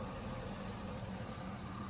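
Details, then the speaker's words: LS-swapped truck at idle with fuel pressure back at 52 PSI after reconnecting the regulator vacuum line. Smooth, even idle with no stumble, no flashing engine light, misfire not active and good compression. Normal idle. "We're right back down to 52 PSI. Sounds really smooth. We'll check inside. Make sure that engine light isn't flashing."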